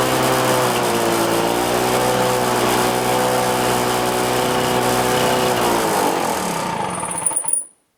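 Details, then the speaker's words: Lawn-Boy Duraforce engine on first start with a Chinese aftermarket carburetor, full choke, four primes, float found sticking: high screaming two-stroke drone far above normal speed, then it winds down; engine overspeeding, so the speed was turned down. "Alright, and that engine's running way too fast, so I turned it down quite a few clicks. Way too fast."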